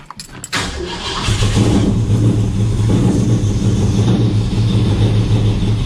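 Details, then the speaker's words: XW Ford with Cleveland V8, just after new fuel sender and half-inch fuel line fitted and tank filled, started to test for leaks: brief crank then uneven, lumpy idle with wandering beat, running rough; cause not confirmed. "running like ass but it's running all right now that's running"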